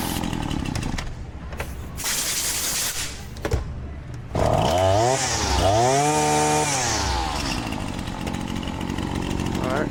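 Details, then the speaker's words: Husqvarna 525L two-stroke trimmer after repair, air filter refitted: fires after handling, revs up and down cleanly and settles to an even buzz; normal running. "Sounds good. Now we'll come down here to the end. Grease her up. Should be ready to go home."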